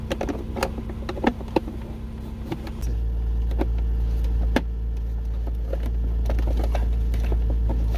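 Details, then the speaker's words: Lexus cabin blower fan switched up after replacing a dust- and debris-clogged cabin air filter: a steady, even hum with no rattle or whistle. It was noisy before with the blocked filter; now it sounds clean and healthy. "Okay, now we're gonna try it. Yeah, it's much better. Before it was a noise. Every time I turn the fan on, I can hear the noise because the filter was kind of blocked with dust, debris, and everything."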